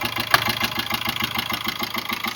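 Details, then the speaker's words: 2005 Ford Ranger diesel at idle: steady, quick, evenly spaced puffing chuff over the clatter, knocking at the air filter; a cylinder seems to blow back through the intake, cause suspected pending disassembly. "vocês estão escutando tu tu tu e olha o batidinho que tá dando em cima bem aqui ó no filtro de ar ó vê se vocês consegue escutar"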